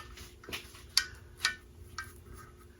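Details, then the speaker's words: 1972 Evinrude 9.5 HP outboard in neutral: sparse, irregular light metallic clanging heard while the prop is turned by hand, and the shifter won't come out of neutral; the gearcase is being opened to check the shift rod. "it's in neutral I can spin the I can bend the prop here to neutral but I hear some clanging"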